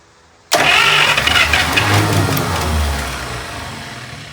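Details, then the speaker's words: 1951 Buick straight-eight with Dynaflow, abandoned after a failed restoration and long unrun, just brought back to life on added gas: engine catches and runs busy with a fast, loose ticking over the exhaust; valve train very noisy. "valve train is very noisy."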